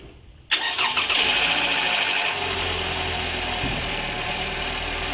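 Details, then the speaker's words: High-mileage Toyota, over 300,000 km, after second engine flush with new filter and oil: brief cranking and short top-end clatter at startup, then smooth, even, quiet idle; top-end noise massively reduced. "And as you can hear there, there's been a massive difference in the noise on the top end of this. It's completely reduced it."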